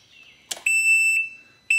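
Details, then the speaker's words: Can-Am RT motorcycle at key-on: loud, steady high-pitched beeps about half a second each, and no parking brake motor engagement sound is heard. The parking brake isn't engaged; the battery is then put on a tender. "Now this time it's beeping. When it does that, it's like the parking brake is not engaged."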